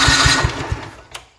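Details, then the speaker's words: 1970 John Deere 110 hydraulic-lift patio tractor cranking on the key before ether is tried. The starter spins the engine briskly with even compression pulses, about four or five per second; normal cranking. "wow all right spins over pretty good let's get a can of ether"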